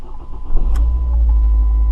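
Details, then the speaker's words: 2007 Ford Focus after replacing only the passenger-side engine mount: the petrol engine fires up cleanly and settles into a steady, even idle with no shake; the rattling from before is gone. "oh it's like a new car just that one mount probably was all that was wrong"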